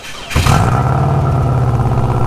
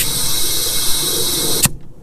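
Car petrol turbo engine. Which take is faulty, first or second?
second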